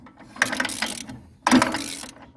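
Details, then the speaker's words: Old riding mower with dirt in the pan, brake down, throttle up, key on: two brief bursts of starter churning with no catch or firing; it turns over but won't start. "but so that is a no-go what i'll do is try to clean it up a little bit"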